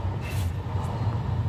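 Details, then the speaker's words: Honda Vario 150 scooter rear after repair of worn bearing that caused tek-tek knocking when wheel was wobbled: steady low hum, smooth, no knocks or ticks. "sudah halus lagi tuh enggak tek gitu ya enggak kayak kemarin"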